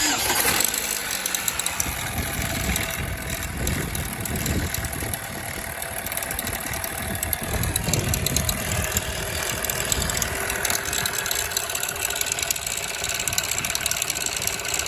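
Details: 2007 Chevrolet Cobalt 2.2 daily driver at start-up: petrol engine settles to idle with a dry, busy mechanical rattle, suspected timing chain rattle, not confirmed.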